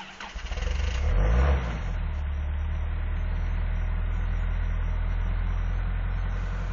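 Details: Engine cold start at 8 below zero: starter cranks longer than expected before the engine catches, flares and settles into a steady idle, with exhaust smoke; long crank, hard cold start.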